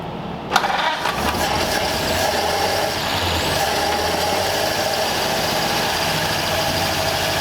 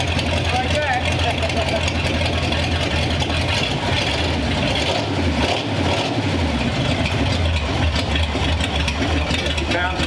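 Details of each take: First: Long-stored 1934 Ford Delivery being revived, run with the choke off after slow, heavy-fuel cranking: a low, slightly uneven idle with a faint lope and smoky exhaust; it runs rough and the owner suspects valves not closing fully. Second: Long-stored 1934 Ford Delivery being revived, showing oil pressure: a low, steady idle with an even beat and no knocks or misses under the crowd noise; the engine sounds good and runs healthy.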